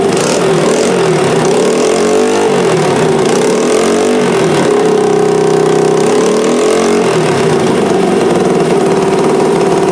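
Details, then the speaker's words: Honda XR80R first start, fuel on reserve, carburetor not leaking: small single barks into life, settles to steady idle with a light rev blip, runs clean; normal idle. "so it starts it runs it runs pretty good yes swinging around here yeah everything seemed to be going good about it"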